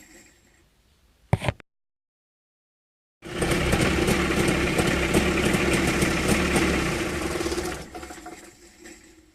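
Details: Mitsubishi 360 ME24 engine just after switch-off: a steady swishing whir fades over a few seconds. The owner fears something is freewheeling inside, alongside a rattle felt at the fan. Whirring noise after shutdown, cause unclear.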